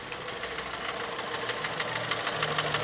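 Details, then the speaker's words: 2014 VW Polo at idle with check engine light on and misfire codes for cylinders 1 and 4, coil suspected; steady rapid harsh ticking knock about three per second; engine knock at idle, cause not confirmed. "ela tem em marcha lenta o tempo a gente vai entrar com fps aprove a partir de ignição porque eu tenho uma falha alunos de gestão dele está acesa eu tenho uma falha no cilindro 1 e 4 pode ser bobina la luz aceso está realmente está fazendo um barulho bem feio mesmo"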